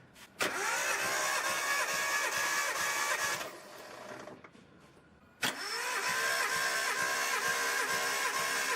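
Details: Nissan Skyline R32 RB20DET, reportedly freshly rebuilt, during compression test: two spells of fast, even starter cranking with steady whine and regular compression beats, cylinders reading about 180 and 210; strong, healthy compression.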